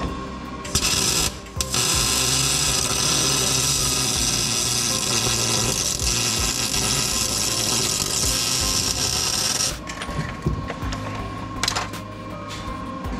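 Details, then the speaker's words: MIG welding a driveshaft loop to the frame: steady harsh crackle, spitting and uneven pops for about nine seconds as paint burns off; joint wasn't cleaned well enough, paint contaminating the weld, ugly bead. "Yeah, hear how funny that sound? I think, and it looks pretty darn ugly. There's too much paint up there. Didn't get it cleaned off."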